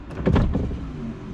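A short, smooth motor whirr as the glass travels, with no grinding or binding; the window motor is working as it should.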